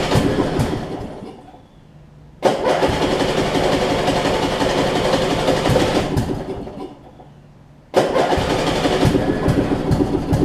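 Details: Craftsman riding mower, 12.5 hp flathead Briggs, cold start after sitting a couple weeks: two attempts, each bursting to life, rattling a few seconds, then dying without idling; hard cold starting. The flywheel is missing teeth.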